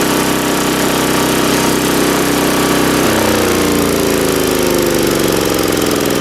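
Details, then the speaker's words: 3.5 HP Tecumseh small engine after tune-up by trial carburettor adjustment: runs steady then drops to a lower smooth even beat, no misfires or hunting; running very well. "As you can hear, the engine is now running very well."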